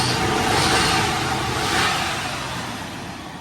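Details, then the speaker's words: Jaguar XJ40 engine fired up: smooth, even six-cylinder idle with crisp rise and fall on throttle revs and very quiet exhaust note; lively and sounds healthy, normal idle and revs. "Doesn't really make a noise, the exhaust is too quiet, but you get the gist."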